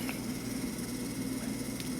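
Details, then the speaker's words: Late-1960s/early-1970s Sankyo Seiki rolling-wheel mechanical digital clock with a sealed motor whose front can't be opened for lubrication. Constant buzzing hum with a low drone and light ticks. Noisy motor hum. "I don't know where a safe place to drill would be. That's the only way I'm going to get it quieter."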